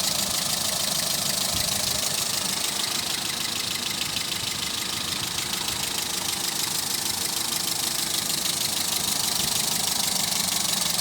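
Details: Toyota Etios engine noise: quick ticking, roughly three per second, over a steady idle; abnormal noise, source unclear.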